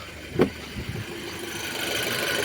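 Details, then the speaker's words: 2006 Audi A6 2.0 FSI turbo, low oil pressure light on: warm idle with a hard knock, then an uneven metallic rattle before shutdown; oil starvation suspected from a clogged pickup. "І тут чути, що він робить якось нехорошо. Добре, я його глушу."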